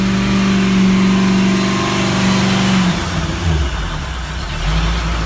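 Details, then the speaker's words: Ford 351 V8 EFI in a Four Winns boat, first start after drivetrain rebuild (new drive coupling, gimbal bearing, transom seal), under way at 3,000 rpm, gauges in the green: strong steady drone lifting smoothly with throttle, no misses or knocks; healthy. "Pick up some throttle. Everything's in the green. What a great thing. 3,000 RPM. Look at the state of that, eh?"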